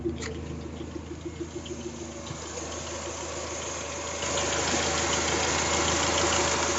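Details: Toyota 3S-GTE at idle: light, fast regular ticking about three per second, minor rattle, steady and unchanging; cause not clear.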